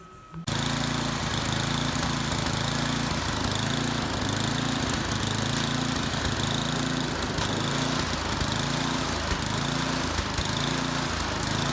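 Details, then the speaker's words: Poulan Pro snowblower with a Tecumseh 8.5 hp engine before carburetor replacement: speed swells and sags about once a second, a steady hunting surge blamed on the cheap non-adjustable carburetor. "Alright, you could hear how it was surging, so what we have to do is take this cover off here and then replace the carburetor."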